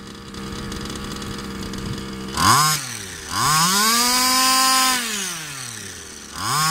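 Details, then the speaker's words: Customer's Baja 5B RC two-stroke engine with fresh fuel mix and a different carb: crisp blips, pitch climbing cleanly and dropping smoothly back to idle; healthy and responsive despite slight ring damage. "so it seems a lot better with this call that much ring damage a little bit of tuning and it ran now"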